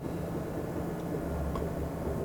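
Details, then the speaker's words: 2010 Chevy Impala idling after exhaust replacement, leak check by hand over the clamps: quiet, steady low rumble with no puffing or ticking from the joints; normal idle with a sealed exhaust. "and there it is, brand new exhaust. So it's going to be much quieter."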